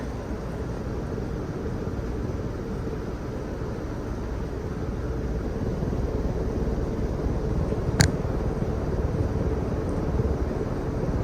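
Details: Old 52-inch Encon Contempra Supreme Hugger ceiling fan with a spinner motor, on high speed; even airy whoosh with no bearing grind, where it previously ground, though the fan still wobbles, probably from loose screws; normal running.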